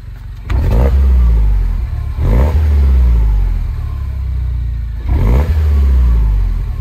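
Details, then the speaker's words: Mini Cooper S R56 N18 engine blipped three times with slight load: faint uneven stumble on each rev from a dealer-diagnosed failed ignition coil pack misfire, slightly rich smell; more noticeable under load around 2,000–3,000 rpm. "so it's like that you can hear it's when I rev it and that's why I'm giving a tiny bit of load"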